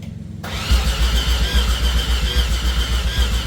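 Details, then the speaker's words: 1989 Mazda RX-7 Turbo II rebuilt rotary, first start attempt with no coolant, fuel pump relay jumped and no fuel pressure yet: the starter cranks at about four pulses a second but the engine never fires. "I do got the fuel pump. Um, trying to crank it, but it is not yet starting."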